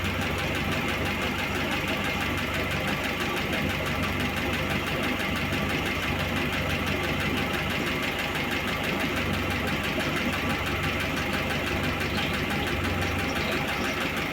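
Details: Cold start of a VAZ 2101 engine at idle in a garage: fast, light, even ticking over the steady idle; a worn used camshaft and camshaft bed are knocking and need replacing.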